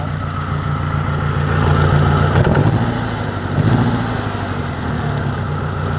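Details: 1993 Saturn SW2 in park: idle rumble with an uneven, stumbling beat and irregular dips. It is misfiring with no check engine light and is low on power.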